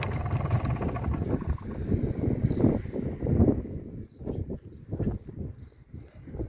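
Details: MZ ETZ 250 two-stroke at idle after clutch work and primary drive replacement (new drive dog, 68-tooth gear, shims; gear backlash 0.92 mm): low uneven putter, only soft scattered knocks, no hard clutch-side clatter; quiet settled idle.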